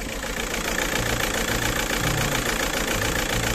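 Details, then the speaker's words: Škoda Octavia 2.0 TDI with a lumpy, shaking diesel idle, running on roughly 2.5–3 cylinders, with irregular thumps. Likely a faulty timing belt job, with timing off by about 6–7 degrees (retarded injection); recorded next to the engine without a microphone. "A ako môžeš počuť, ten motor ide strašne."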